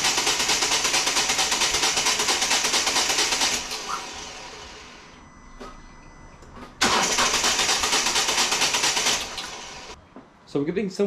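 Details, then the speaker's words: 2014 Volvo V40 D2 1.6 diesel (D4162T) cranks but won't start after new timing belt and crank sensor, following stripped-belt head damage; two bursts of steady cranking, never fires; diesel leaking from fuel filter drain, owner suspects air being sucked in. "like you want to start and then it doesn't and that's just weird"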